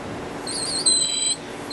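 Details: 1970s Kenwood KW-5066 reel-to-reel tape deck at initial evaluation: thin high squeal comes and goes about half a second over quiet mechanism noise; something slipping in the tape drive, not confirmed.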